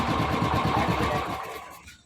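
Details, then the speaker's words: Royal Enfield 350 single running then shutting off: quick even "khatpat" tapping clatter that fades at shutdown; valvetrain ticking. "तो एक बार आपको सुनाते आवाज इसका आवाज कर रहा है खटपट खटपट आवाज कर रहा"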